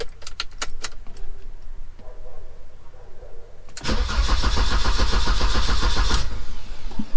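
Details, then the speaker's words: 1987 car cranking steadily but never firing; no fuel pump priming heard, owner suspects fuel supply and checks pump voltage; crank no start, cause unconfirmed. "So as you can see, it's not firing. I still think it was fuel,"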